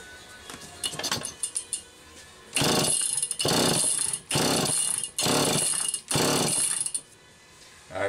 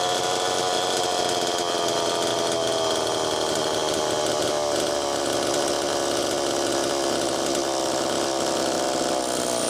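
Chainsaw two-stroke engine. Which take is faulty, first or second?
first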